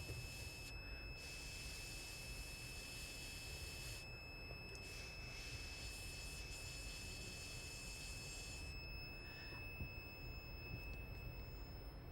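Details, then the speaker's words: IoT temperature monitoring project: once the sensor reading goes above 40°C, a steady shrill buzzer sounds and the gauge turns red; it stops when the reading cools below 40°C. Over-temperature alarm. "But once it goes above 40 degrees, the buzzer, as you can hear, is buzzing, and my gauge has turned red because it has gone above 40 degrees."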